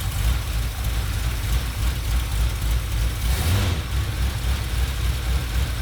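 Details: 1977 Ford F-250 460 V8 with automatic, after the distributor is reinstalled and timing reset, during new-cam break-in. Deep, steady rumble at a raised idle with no knocks or misses: normal fast idle.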